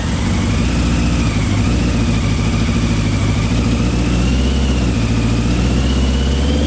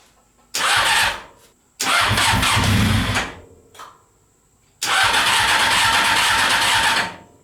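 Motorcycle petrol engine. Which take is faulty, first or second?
second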